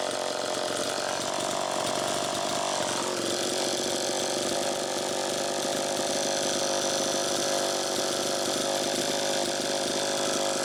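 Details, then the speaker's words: Homelite Super EZ chainsaw after crank seal replacement, test run two: it screams at high revs without settling to a proper idle, with the idle speed screw set far out. It runs lean and there is still an air leak. "first take a listen to how it's running it's pretty close but one key that something's still not quite right"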